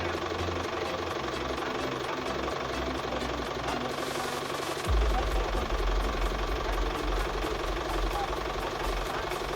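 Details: Office-owned diesel tractor that would not start because the battery was not charging, after charging-system repair: steady idle with an even low thrum, no missed beats, settling slightly firmer midway; running healthy.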